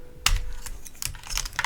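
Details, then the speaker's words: Heracles80 keyboard with a PC hotswap plate, case and plate foam, Azure Dragon V2 switches and Wuque Studio 1.2 mm stabilizers: uneven key clacks with a thin metallic rattle on space bar strokes from the rattly stabilizers, due for replacement. "yeah you can definitely hear the metal there on the space Barn I do not like that sound"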